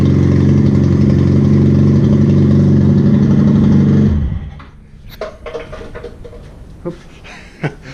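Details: Laro ProStreet motorcycle running for the first time after faulty spark plugs were identified as the no-start cause: small single revs and runs with an even beat about four seconds, then shuts off cleanly; normal running.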